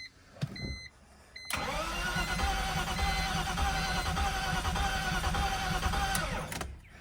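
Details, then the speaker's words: Manual BMW 325ci with 330,926 miles and a blown engine: starter cranks about four beats a second but uneven and loping, a galloping crank. Low compression on some cylinders is suspected. "Oh, she kind of wants [Music] to. She definitely has a gallop in her. A little bit of no compression sign uh sounds."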